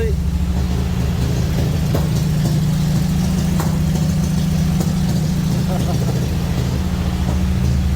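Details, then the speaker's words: 1954 Ford F-100 V8 truck, sat for a while, cold start and warm-up after the choke came off too early: deep, steady low rumble settling into an even idle with no knocks or misses, normal idle. "whoa whoa a little warm up a little bit there we go huh 1954. Ford F-100 beautiful thing"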